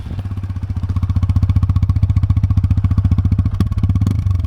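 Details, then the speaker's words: TVS Apache RTR 160 2V, 1.5 years and about 15,000 km: crisp even single-cylinder exhaust pulses, three to four per second, rising slightly with throttle; healthy exhaust note that offsets the engine's khach-khach noise. "अब देखो उसको compensate करने के लिए ना company ने क्या किया? इसका जो एग्जॉस्ट है ना वो बहुत अच्छा दिया है।"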